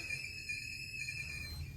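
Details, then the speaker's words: Toilet with a deteriorated fill valve that makes noise only while filling, within a certain water-pressure range: steady high-pitched whistle with a second tone above it as the tank fills; the worn fill valve is whistling. "oh no it sounds like our toilet has swallowed the Banshee what are we going to do about"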